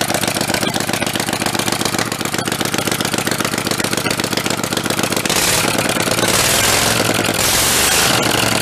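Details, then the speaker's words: Rebuilt Kohler Command 20 hp engine, revived after a thrown rod and flood damage, starting on the bench with a jumper wire powering the carburetor fuel solenoid: rapid regular firing picks up to a fuller, steady run with no knock, misfire or leaks; normal running. "awesome there we go we got two for two anything pissing out of it anywhere that's a good sign"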